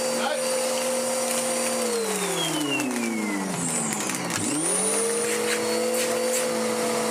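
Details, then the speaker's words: Dirt Devil DD6114 (Electrolux Contour clone) upright vacuum before restoration, height in middle: steady motor whine sags in pitch for a few seconds then climbs back as the air path under the base plate clogs immediately. "What's happened is it's immediately clogged itself, just as these always did."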